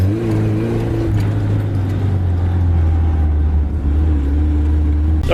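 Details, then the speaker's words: 1980s Suzuki SJ (Jimny) off-roader with solid axles, driving: deep, smooth drone rising and easing with throttle, no misfire. Idle is not good, but it runs evenly under load on all four cylinders. "well essentially rain pretty well it's not widely in the Beast but who needs Idol anyway it seems to be running on all four"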